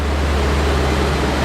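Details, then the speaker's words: BMW M5 after new spark plugs, hot day around 91°F: steady, deep, even hum with no misses, knocks or ticks. Normal idle. "Hopefully it starts and runs. Sounds pretty normal."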